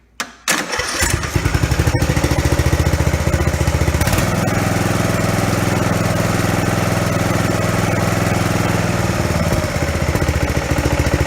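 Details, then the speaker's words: Ariens Zoom riding mower after a pulley replacement: it catches after a brief crank and settles into a steady, even putter with no screech or clanging; the pulley spins fine, though the belt still needs replacing. Normal running. "seems like it's spinning just fine"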